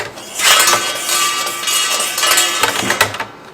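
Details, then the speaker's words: Ceiling fan light running: metallic rattling clatter over faint motor hum from an unhooked internal spring, likely unhooked during shipping; rehooking it stopped the noise. "这种情况的话，很有可能是风扇灯在运输过程中导致里边弹簧脱钩了，会产生这样的噪音。"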